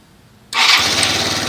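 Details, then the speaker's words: Salvage Yamaha Zuma 125 scooter, dead when bought, after fitting new ignition, adding petrol and charging battery, brakes on: quiet, then engine catches at once and settles into steady even buzzing idle; clean first-try start. "Whee! That was pretty easy, wasn't it? That was so cool, it just started straight up."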